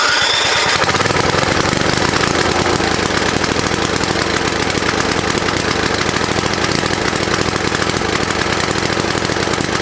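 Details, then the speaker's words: Vintage snowblower engine after cleaning, choke and throttle redone: fast, uneven popping and rattling with irregular exhaust beat; runs rough, muffler making weird noises as debris burns out. "It's running like hell, but it runs."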